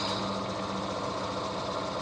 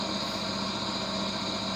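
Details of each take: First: Vintage HPA wheel balancer, probably Danish, early 1960s, running with about 75 g weight added. Steady motor hum with a fast even thumping shake; the whole machine shakes. Heavy out-of-balance vibration. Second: Vintage HPA wheel balancer, probably Danish, early 1960s, running with no added weight and not bolted to the floor. Steady even whirr and hum, no knocking or wobble beat, only slight vibration from sitting unbolted; zebra indicator disc stays stable. Normal running.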